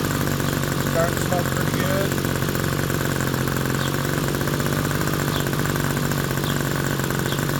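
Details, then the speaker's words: Small RC glow engine on Swamp Juice fuel with a standard OS No. 6 glow plug, after tuning and transition checks: steady, even buzzing idle, no surging, misfires or sag; normal idle. "Check transition again. That's about what it should sound like."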